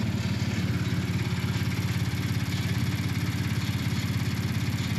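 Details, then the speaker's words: Ford 3.5 EcoBoost just after new turbos were installed. It started a little rough, then the computer apparently leveled it out to a low, even idle pulsing about 3.5 times a second with no knock or whistle. The check engine light is on, possibly from oxygen sensors. "Started it up. It was a little rough, but then the computer, I think, leveled her out."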